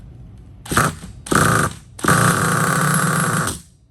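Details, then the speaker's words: 2010 Hot Bodies Stadium Pro 2 nitro truck, LRP .32 engine, warmed, primed, on 30% fuel, rotostart-started: three short high starter whirs with no firing; cranks but won't start, owner suspects air in the long fuel line. "She's trying. It's a longer fuel line, so it's probably got a little bit of what do you call it?"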